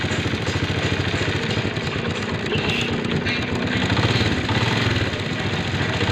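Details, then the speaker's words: Motorcycle engine idling after fitting a harder timing chain tensioner spring: steady, even beat, no rattle or ticking from the top end; the earlier loud timing chain noise is completely gone, now quiet and healthy. "जैसे कि आपने video के शुरू में सुना था इस इजन में बहुत ही ज्यादा आवाज थी अभी इसकी आवाज खुद आप चेक कर ले इसकी आवाज बिल्कुल साइलेंट हो चुकी है यानी इंजन में जो शर शर की आवाज थी वह इसकी बिल्कुल खत्म हो चुकी है"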